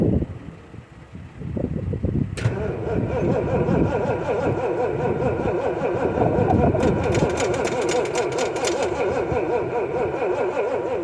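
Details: 1979 Ford F150 Supercab 460 V8, carburetor bowl leaking fuel, fuel pressure gauge not working: steady rhythmic starter churn of three to four beats a second, engine never catches, then loses battery power; crank no start, cause not confirmed.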